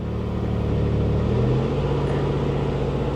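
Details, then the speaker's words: 1988 Chevy Cavalier Z24 just after cold start: low steady rumble at high idle just over 1,000 rpm, no misses, knocks or ticks; oil pressure about 60 psi cold, charging; idles cleanly, healthy. "it fired right up it it runs perfect no joke it's got a quarter of a tank of gas oil pressure is right around what is that around 60 60 PSI cold voltage is charging idle currently high idle sitting at just over 1,000 RPM"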